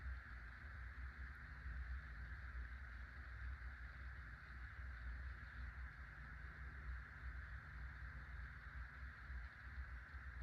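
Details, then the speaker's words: Hunter (CEI) Low Profile V ceiling fan, made 2003 in Thailand, on low after replacing worn bearings and worn motor zip ties: soft steady low hum, faint even whir, no rumble or grinding; bearings smooth and quiet. "Hi, here's a Hunter Low Profile V fan with new bearings. I'll go ahead and turn it on low."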